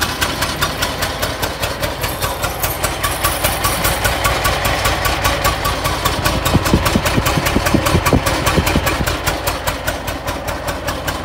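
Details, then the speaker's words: 1920 Ford Model T barn find, first start after about 10 years sitting, while adjusting timing: uneven lumpy beat of about 2.5 pulses a second with chuffs dropping out; misfire from sticking valves, low compression on one cylinder. "so right here I'm adjusting the uh timing it's really only running on one or two so it sounds like one sounds like the the 199 brush having a little issues here see what we can come up with but it's definitely not running"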